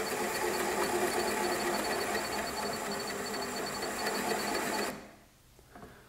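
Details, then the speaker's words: NOVA Voyager 18-inch drill press, electronic direct-drive motor, drilling with the electronic depth stop, which beeps faster nearing final depth: steady hum under drilling, then the spindle cuts out abruptly near five seconds; normal automatic depth-stop shutoff. "machine shuts off that way I can never undergo a Rover drill the hole depth is going to be accurate every time"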